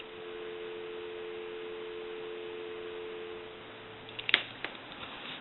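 A steady two-note tone holds for about four seconds, then a few sharp clicks; the line gives a normal dial tone.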